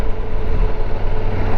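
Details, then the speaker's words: Yamaha twin motorcycle cruising at about 2,000–2,200 rpm: deep, even low drone with steady pulse and no knocks or rattles; normal docile low-rpm cruising. "right now if you listen to the engine it doesn't sound good because for some reason yamaha made this engine very docile and low revving right now"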